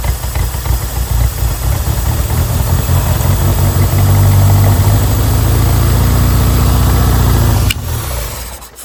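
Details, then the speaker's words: 1987 Toyota Corolla FX 1.6L four-cylinder, stored since 1999, on its first start after vacuum hose repairs. It catches, then runs loud and lumpy with an uneven idle beat and early blue smoke; the fuel system is suspected as not right. "Smoky. Whew. There it goes. Sitting there idling. For some reason that fuel system is not right though."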